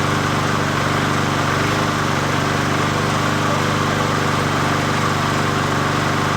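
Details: 20" Murray push mower #20201D after straightening its wobbling crankshaft and cleaning: a steady single-cylinder putter holds one speed with no misses, surging or knocking, running acceptably; the owner notes it could be low on gas.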